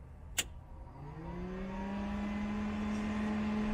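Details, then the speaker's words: Cessna 172 preflight with avionics bus 1 switched on: after a click, the forward avionics cooling fan spins up into a steady, clean hum with no rattle or wobble; fan working normally. "Okay, I hear the fan, and it says avionics bus 1 off."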